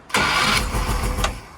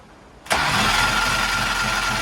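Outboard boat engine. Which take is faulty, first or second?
second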